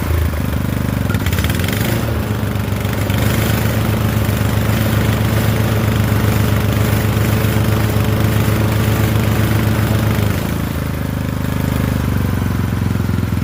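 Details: Poulan 12538 riding mower, 12.5 hp single, 38-inch deck, with new carburetor after old one leaked gas into crankcase, brake on: catches and settles into a steady, even low putter, no misses or surging; normal running.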